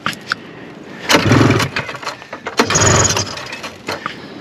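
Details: 1974 Arctic Cat Lynx snowmobile, fan-cooled 340 two-stroke, sat derelict 5 years, old gas, cold in snow, primed with brake cleaner, choke applied: two pulls, each a half-second rasping spin dying without catching; cranks, no start.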